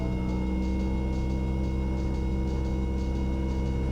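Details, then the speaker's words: Light aircraft in flight during a student pilot lesson, a little more power added: thin steady stall warning horn whine over the deep, even piston engine drone, warning that the wing is no longer producing lift. "do you hear that little whining sound in the background that that's called a stall horn s ta ll or the plane stalls so that is a warning sound when the when the wing is basically not producing any more lift in the plane is stalling"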